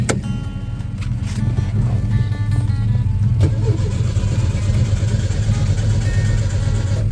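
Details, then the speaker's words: Old VW Beetle with a remanufactured crate engine, ignition and carburetor, on jumper cables: an even healthy starter churn as it cranks freely. Customer reports it runs, then bogs and dies; a fuel supply issue is suspected. "So I got the cables on it. It does crank over. Let you hear that real fast."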